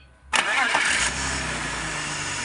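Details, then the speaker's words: BMW E46 325 after replacing a seized alternator rear bearing and the regulator. A brief crank catches cleanly, revs flare, then it settles into a smooth idle, calmer than before the repair, when there was a hum at shutdown. "ini mesin juga agak lebih anteng daripada yang kemarin"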